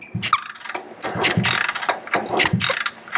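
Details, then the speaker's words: 1965 Honda C100 Cub 50cc after years of neglect, thumb over spark plug hole while kicking: strong, sharp puffs about every half second pushing hard against the thumb; good compression, enough to start. "that sounds really good yeah that's that's good compression that's enough to start it"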